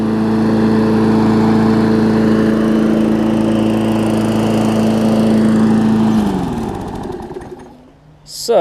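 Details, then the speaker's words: Newer Murray push mower with Briggs engine, after draining oil-contaminated gas and water-contaminated oil: smooth, steady drone at even pitch, then winds down and stops; run 15 minutes, some old oil still baking off, runs perfectly. "so i've had it running a good 15 minutes already it's perfect"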